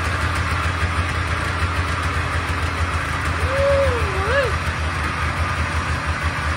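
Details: Polaris Trans Sport snowmobile two-stroke revived after 10 years, running on choke: a steady low burble holding an even idle without stumbling; the engine runs fine.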